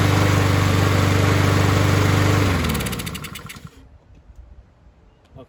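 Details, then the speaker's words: Husqvarna push mower rescued from the trash runs smooth and steady on its own after carb removal and cleaning of heavy deposits from the jet, then shuts off and winds down; healthy normal running, it just needed carb work. "found out that this free mower did in fact run awesome guy that gave it up was right just needed some card work"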